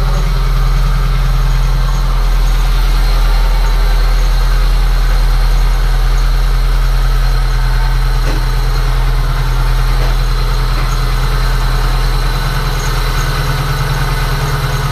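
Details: VAZ 2109 four-cylinder engine, first start after spark plug well thread repair with an insert; deep, even idle pulse of about three beats a second, steady, no misfire; runs fine.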